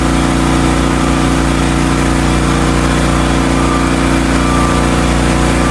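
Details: Hotsy steam pressure washer with 16 hp gas engine, bought non-running, after igniter wire/electrode repair with burner heating water: steady, even engine drone with constant pump whir, no misses or knocks; running smoothly.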